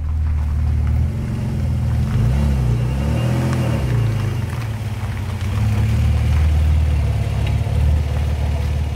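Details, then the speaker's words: Alfa Romeo 156 GTA 3.2 V6 Busso, revived after over ten years parked, no exhaust fitted, at nominal temperature: deep, even rumble, steady idle with no knocks or misses; holding its temperature while stationary, healthy. "déjà pouvoir voir si en statique elle maîtrise sa température il semble bien que oui"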